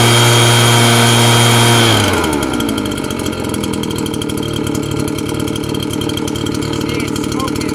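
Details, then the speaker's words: RedMax two-stroke blower after replacing a loose, vibrating fan that caused rattling, primed and restarted, smoking from burning off parts cleaner; snaps from a high buzzing rev down to a steady even idle with no rattle, running healthy. "smoking and that's how you replace that rattling noise on your blower and install that fan"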